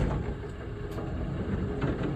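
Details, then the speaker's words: GSX bowling pinsetter sweep wagon after shock replacement and remounting, which previously dropped too fast with banging and squeaked: smooth low mechanical rumble through sweep cycle, no clank or squeak; normal sweep operation. "no clank, and no squeak. That's beautiful."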